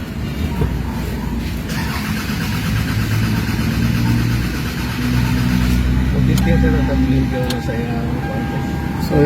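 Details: Toyota RAV4 engine cranking but not starting: starter churns engine at steady pace about four beats a second, never fires; crank no start caused by a problem in the circuit.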